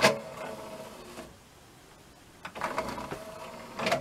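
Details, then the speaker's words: NAD M5 SACD player: whirring buzzy motor run with clicks and clunks at each end as the disc drawer travels; cheap noisy drive, contamination affected tray and mechanism, casing amplifying noise was glued with rubber. "ona prostu wzmacniała hałas żeby tego nie było słychać napęd musiałby być o klasę lepszy"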